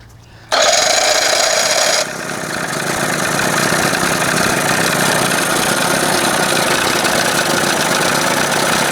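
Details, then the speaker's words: 1981 Evinrude 20 HP outboard, cold, mixture screw about 1.5 turns out: it fires, flares, then settles into a ragged "tip, tip, tip" bumpy idle. The owner thinks it almost sounds like an exhaust leak, though it blows out well. Rough uneven idle, cause unconfirmed. "I just don't like all that bumpity. You hearing it going tip, tip, tip, tip? Almost sounds like there's a freaking leak, exhaust leak or something."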